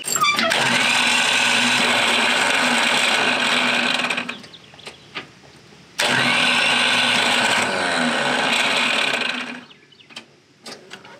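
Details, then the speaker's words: Tractor starter with torn-up gears: harsh metallic grinding and whirring bursts twice for about four seconds each, with no firing. The starter gears grind instead of popping all the way in to engage. "yeah it's really not supposed to sound like that [Music] okay so this thing has some gears that are pretty torn up on it"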